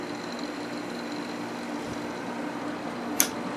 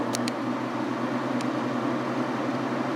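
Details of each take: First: Quasar 8000 BTU window AC, first time installed in a window; compressor started, very quiet steady low hum with faint fan whoosh and one brief click; normal running. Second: Kenmore 5000 BTU window AC (Matsushita compressor) just installed and switched on; only steady fan whoosh with low even hum, compressor not kicking in yet, though it started later; fan running, compressor not started.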